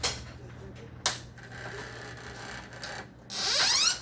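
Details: Epson L395 inkjet printer at power-on: sharp clicks, light whirring, then a loud rasping ratchet burst; won't feed paper, noise persists despite replaced pickup rollers, gears and suction pump, cause still unknown.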